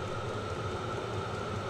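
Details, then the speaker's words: Vevor 5kW diesel parking heater running on kerosene from a 12V car battery, burn chamber at 48–50°C and climbing: steady blower whoosh, mid hum and low burner rumble. Normal full-heat running. "it puts out a lot of heat let me back you guys"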